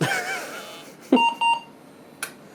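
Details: 1993 486DX computer booting with no keyboard connected, after a floppy drive fix: two short, clear beeps at boot a fraction of a second apart. A POST warning, possibly for the missing keyboard, though that is unconfirmed.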